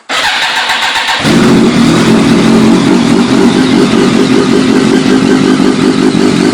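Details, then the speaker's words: BMW K1100 motorcycle, stored outside for a while, cold start: fires after a few cranks into a loud, slightly uneven idle that hunts hard at first then smooths out, owner unsure if normal; smoking heavily; cold-start roughness, cause unknown. "it's really loud but it uh it like floats really hard when you first start it by right now see how it Smooths out"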